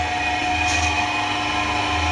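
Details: Old drill press electric motor, just remounted and lowered. Smooth, even hum with a steady whine and no knocks or rattles; the motor runs cleanly.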